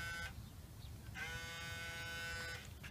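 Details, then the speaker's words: 1987 Sears VHS camcorder (rebadged RCA CPR-250) that won't eject a tape; motor keeps running with a thin steady electric whine dropping out and returning unchanged, spinning freely because its drive belts have liquefied and perished, needing replacement and pulley cleaning. "It just makes that sound and it's this motor."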